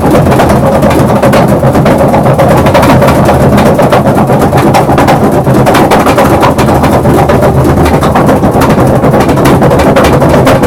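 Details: Maytag 3000 series washer with a loud, rapid rattling bang, about four knocks a second, continuous; always sounded slightly off but now much more pronounced.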